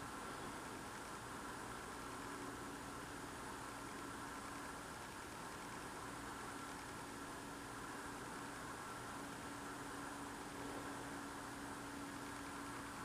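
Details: Loud unidentified idling noise heard outdoors through a frozen window at night, freezing cold, ruled out as a generator; distant steady low drone with faint constant hum, no speed change, source unknown.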